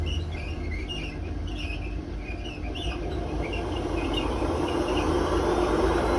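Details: Hotpoint WMA32 washing machine on an 800 rpm final spin with bad drum bearings (new bearings awaiting fitting): a rough growling roar builds as the drum spins up, with chirps/squeak on top.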